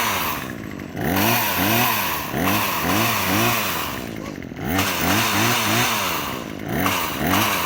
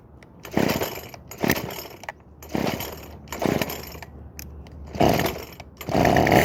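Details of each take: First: Craftsman WS2400 two-stroke pole saw after repair (old gas dumped, fresh fuel, slight carburetor adjustment, leaking fuel lines replaced): revs blip up and drop back cleanly, running steady and much smoother than before; healthy. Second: Craftsman WS2400 two-stroke pole saw bought used, starts but runs poorly: fires in short sputtering bursts that die away, then catches roughly; stale fuel mix and mis-set carburetor mixture.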